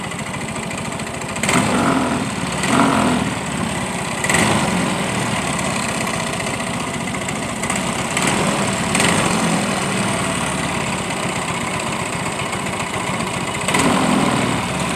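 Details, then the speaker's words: Yamaha Mio M3 125 scooter idling and blipped, heard near fan side then CVT case: rough, fast "tek tek tek" ticking sharpening on throttle; suspected CVT noise from lack of CVT grease, unconfirmed. "bunyi Yi tek tek tek cek tek gitu, Guys, ya."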